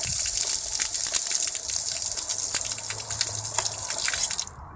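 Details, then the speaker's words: Garden hose water timer valve switching off with water flowing: steady hiss cuts off after about four seconds in a two-stage shut-off, solenoid moves back to block the rear chamber, then the diaphragm closes under accumulated pressure; normal. "I don't know whether you heard that there was a two stage uh switch off you could hear the solenoid being moved back into place to block off that rear chamber and then the diaphragm closed"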